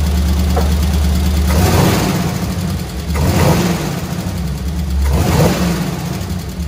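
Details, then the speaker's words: Squarebody Chevy C20 V8, flat-tappet lifters with little run time after rocker arms readjusted half a turn; blips up and down with light tapping on top, lifters won't pump back up, judged a total loss; collapsed hydraulic lifters to be replaced. "i was also hoping with it uh having a little a little bit of space between the uh push rod and the lifter and the plunger and all that happy horseshit that it would hit the plunger in the lifter just right and bring it back but i'd say it's a total loss"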